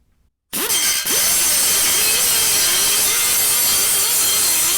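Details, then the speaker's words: Old Allen Air pneumatic sander after repair with 4 new O-rings (bad O-ring caused internal leak and no torque under load): steady high air hiss with grinding rasp on aluminum weld, 24-grit disc, no stalling; now working normally under load. "oh yeah and there we have it one restored refreshed air sander obviously that bum o-ring was the problem now it's working fine"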